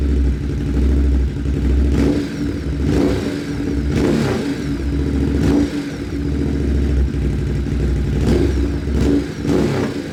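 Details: Motorcycle just fitted with an SC-Project CRT exhaust, joints sprayed with water for a leak check: crisp repeated throttle blips rising and falling cleanly with a deep exhaust note, no popping or ticking; healthy.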